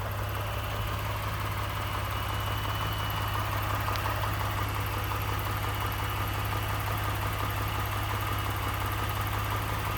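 Steady idle with a light, fairly regular rattle-knock about three per second riding over the engine hum; the cause isn't clear from listening.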